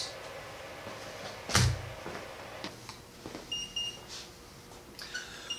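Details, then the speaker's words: Godox AD600 Pro studio strobe battery drained after about 338 full-power flashes, overheat protection slowing recycle to 7–8 seconds; faint high short beeps in groups after a clunk, the low-battery warning. "so this battery just stopped you can hear it beeping and I've got an indicator on there telling me that the battery is drained"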